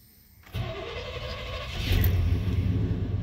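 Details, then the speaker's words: Truck, dead-cold start: catches at once and settles into a steady low rumble with a slight rev lift. It starts and idles fine but runs badly with a little throttle, cold or hot; owner suspects the throttle position sensor, vacuum leak also considered. "she fires up just fine it's the idling just fun"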